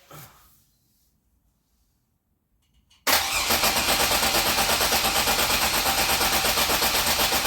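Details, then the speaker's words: 3800 swapped Grand Am GT with a custom harness, new coils and ICM, MAP sensor and EVAP hose swapped: the starter churns steadily at about three turns a second and the engine never catches. The owner suspects the injectors aren't firing. "so close. Damn. Man, it was so fucking close. I wish I could figure out what's going on with these injectors, man. Why they're not firing."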